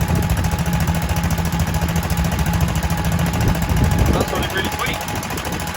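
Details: Kohler K91 single-cylinder petrol engine running after six years idle, once a stuck carburetor float was freed and an exhaust rigged in place of the rotten one. Steady, even low chugging at about three and a half beats a second; runs lovely.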